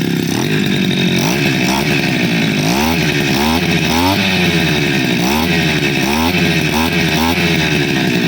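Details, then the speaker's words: 2-stroke grass cutter (mesin potong rumput) after repair, started on choke then choke opened slightly; replaced part glued to prevent air leak, ignition and carburetor checked OK. Idles stable, then revs up and down crisply about twice a second with no stumble; normal revving. "Nah, itu ya. Lihat. Stabil ya. Coba kita gas."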